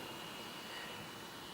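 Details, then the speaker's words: Laptop with vent feeling warm and getting hotter: loud steady rushing fan running hard with a faint high thin whine on top; owner believes dust is clogging the cooling fan, to be disassembled and cleaned. "here it's just gone up harder again i put my hand next to that and it feels pretty warm um and i've felt this get hotter still as i've been working on it"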